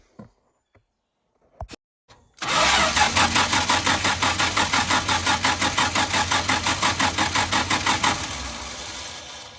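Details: Dodge D300 dump bed truck, engine around 120 psi compression per cylinder, getting new plugs, wires and valve cover gasket: steady even cranking near three pulses a second for about six seconds, no binding; engine turns over freely, normal cranking.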